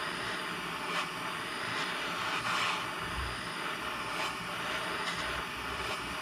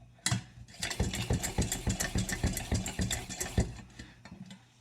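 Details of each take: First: September 1949 Coleman 242c lantern, just rebuilt, generator torch-heated: soft, steady, even burner hiss with no sputtering or surging, the normal lantern sound, though the generator is in poor condition. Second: September 1949 Coleman 242c gasoline/white-gas lantern, just rebuilt and probably unlit for about 15 years, lit with the generator not yet hot: uneven, ragged chuffing pulses about three or four a second that stumble and fade, as the cold generator starves the burner.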